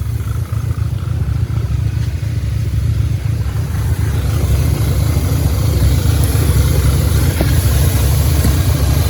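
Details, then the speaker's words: 2010 Audi A5 quattro manual with a 2015 CPM 2.0T swapped in, 144,045 miles, first start after reassembly and before warm-up: loud, low idle with an uneven lumpy beat about three pulses a second; misfiring at idle. "you can hear the engine definitely running with a misfire"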